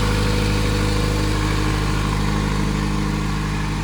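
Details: Honda EM1 after a compression test (readings around 210, gauge suspected faulty): steady, even hum at a constant pitch with no misses or knocks; the engine is running smoothly and healthily.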